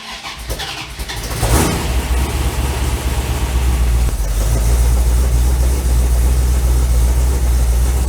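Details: 1984 Dodge Ram with Holley Sniper, after custom electric fuel pump module fix: brief crank, catches within about 1.5 seconds and settles into a strong, even idle; an exhaust leak is noted afterward, oil pressure around 63 psi.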